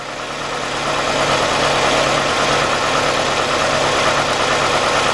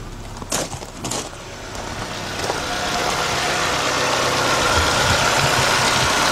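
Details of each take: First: 1993 Nissan Altima GXE four-cylinder with rough idle and misfire: uneven, lumpy, stumbling idle. Unplugging the cylinder 2 fuel injector makes no difference, so cylinder 2 is dead; a bad injector is suspected, fixed by injector replacement. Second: 1993 Nissan Altima GXE after fuel injector replacement for rough-running misfire: after a couple of starting bumps the engine settles into a steady, even idle with no stumble; normal healthy idle.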